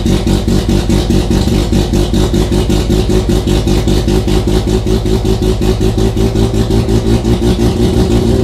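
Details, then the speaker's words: Mazda RX-7 FC3S rotary with Haltech Elite 1500 ECU, factory BAC idle air control valve at 33 Hz, stall offset 500: just after start the engine idles high and revs up with a rhythmic surge of two or three pulses a second, the valve audibly pulsing. "Okay, so you can still hear the idle air control valve pulsing, so I'm going to go ahead and shut off the ECU for now. What we do know is that that immediately allowed us to start up and maintain an idle, but it was revving up."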